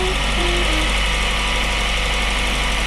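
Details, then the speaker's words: 2022 Honda CR-V Hybrid, 54,000 miles, forced to run in maintenance mode at idle, slightly uneven stumbling beat under steady hiss; cylinder 1 misfire with Autolite plug, misfire not following the plug. "I feel the misfire on my knees definitely a misfire going on"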